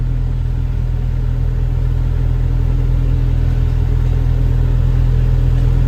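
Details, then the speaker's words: Honda Civic EK automatic with check engine light, idle warming up: high idle reaching about 1,400 rpm, bouncing and creeping up rather than settling; idle air control valve reportedly already cleaned. High idle from dirty idle air control valve. "Sakto na yun yung idle niya. Umabot na ng 14. Sobrang taas nito. Tapos nagba-bunce ah."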